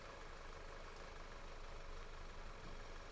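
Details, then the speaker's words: Audi idling low and uneven, sagging and stumbling as if about to stall while fuel trims are checked; suspected vacuum leak. "like it's about to stall out but i got to make sure that the fuel trims are starting to kick off"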